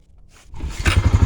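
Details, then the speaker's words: Honda 4x4 Rancher with about 1,400 miles, revived after sitting six years in North Dakota, cold start before warm-up and gear testing: it catches on the first pull and settles straight into a steady, even beat of about six pulses a second, responsive and healthy. "look at that holy cow this is such a good engine that is crazy first pull again it only has 1,400 miles on it so responsive too nice"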